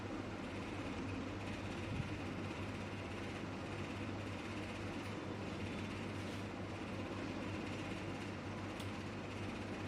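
Steady, even hiss with a low hum underneath, no knocks or surging; the unit runs smoothly and sounds healthy.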